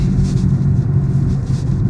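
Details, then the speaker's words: Cheap Ford Focus at about 30 mph with gearbox in neutral: steady low rumbling whir under road noise; suspected worn wheel bearing, possibly gearbox, not confirmed. "It's either a wheel bearing or it could be the gearbox. Yes, I put the gearbox into neutral, so it's not really engaged, but yeah, it's got quite a strong wheel bearing noise."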